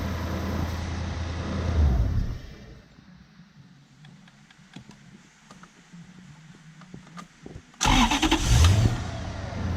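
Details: BMW E36 coupe with a swapped Gen2 Toyota 1UZ-FE V8, first start of the day after repairs and throttle position sensor adjustment: cranks, catches cleanly with a short rev flare, then settles to a steady idle. A normal start.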